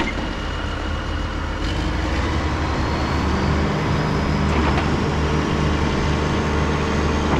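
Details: 2005 John Deere 710G 4WD powershift backhoe, 4,302 hours, idling: deep, steady diesel clatter settles into an even idle with no knocks or misses. A healthy engine.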